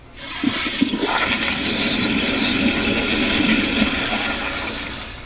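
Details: Sloan sensor-operated flushometer, pressure checked with EBV-375-A cap gauge after adjusting the control stop: strong rush of water builds quickly, holds a few seconds, tapers evenly; normal, full flush.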